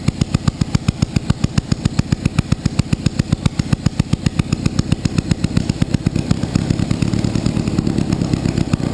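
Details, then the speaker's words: Panhard at first start, sharp rapid uneven firing pulses around three to four per second swelling louder on their own without throttle; flames and possibly oil thrown from the engine area; engine revving by itself. "γιατί κάνει όταν μαρσάρει μαρσάρει και από μόνη της"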